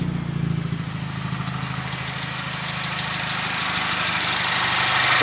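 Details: VW MK6 Jetta GLI 2.0 turbo, 250,000 miles, after timing chain job, heard outside the car: steady idle hum with smooth even beat, no rattle or tapping; timing apparently right, healthy idle.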